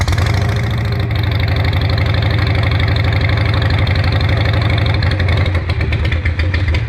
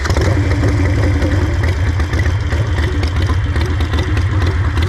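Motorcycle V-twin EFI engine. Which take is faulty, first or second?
first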